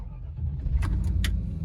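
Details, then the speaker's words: 2002 Land Rover Discovery II V8, one owner, about 104k miles: starts right up with a deep, even rumble and a few light clicks on top, EAS air pump audible, all dash lights functional; clean, healthy normal cold start. "Starts right up. No dash lights. No fuel either. Wonderful. Everything works."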